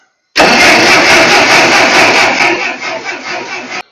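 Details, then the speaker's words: Ferguson TO-35 tractor after distributor replacement, fresh gas, sediment bowl full, choke out, in neutral: fast uneven cranking chatter about two beats a second that never catches, because the throttle was set the wrong direction. "Okay, that one's on me. I had the throttle the wrong direction."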